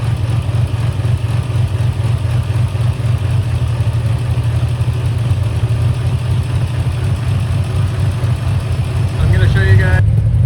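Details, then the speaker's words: Turbo Nissan Z31 warming up from cold on an unfinished tune with a new exhaust: low, steady rumbling idle with slightly uneven pulses, sounds unsettled. Rough cold idle, needs time to warm. "So, it does take a little bit to get warm. So, we're going to go ahead and do that. But, it sounds much different."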